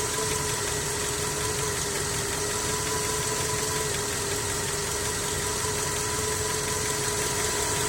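Steady idle with a light, fairly irregular tapping of about three per second over a hissy background; a knock, cause not yet clear.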